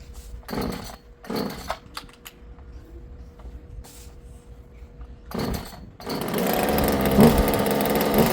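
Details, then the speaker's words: Husqvarna 36 chainsaw two-stroke with a new carburetor, fuel line and filter: a few pull-start tugs, then a loud, buzzy warm-up idle that wants to die; idle screw not yet adjusted. "So it does want to die, it sounds like, while it's just sitting there idling."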